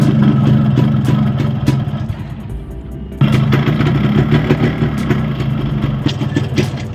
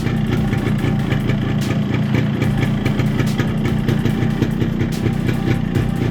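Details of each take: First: Yamaha RX135 two-stroke (Tiger E4 series block) with a size-50 piston, before teardown: hollow, uneven knocking under the exhaust note at idle sharpens on throttle blips, pointing to a worn, slapping piston. A new piston or rebore is planned. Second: RX135 two-stroke after fitting a new 50-size piston without reboring to cure piston noise: a steady, even idle putter with no knock or rattle; noise is much reduced from before.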